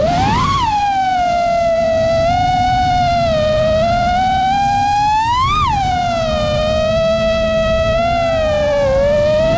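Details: Quad with Xing 2207 2450kv motors, new 5x4 props on new frame, reused Bardwell F4 v1 FC and Spedix 30A BLHeli32 ESCs, Betaflight 4.1 RPM filtering, 1500mAh 4S: high motor whine sweeping with throttle, fast unsteady warble; constant microvibrations, cause unclear.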